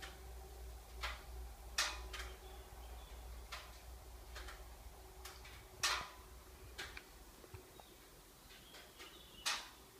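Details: Parked Subaru Levorg, ten minutes or more after engine shutdown: sharp, separate clicks every few seconds at an uneven pace. Source not identified; recorded on an iPhone 5 with poor audio.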